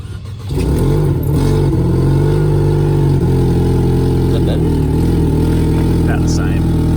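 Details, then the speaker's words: Cheap unregistered Mercedes-Benz coupe with engine problems, after erasing codes. Loud noise suspected from the throttle body, and owners suspect it is not getting enough air. Uneven, lumpy, wavering idle, possible misfire; rough running. "so basically we have like an air issue it's not getting enough air into um the engine"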